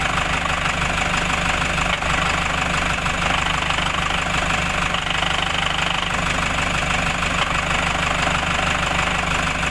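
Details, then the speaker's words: Toyota Hiace 3.0 1KD diesel at idle, days after a clutch component replacement: a steady clunk about three times a second from the clutch side. It vanishes with the clutch pedal pressed. "Mga ilang araw pa lang, nagkaroon po ng lagotok. Yung loob, yung tunog niya, yung parang klok klok klok klok, pa ganun. Ito yung tunog niya, isisingit natin."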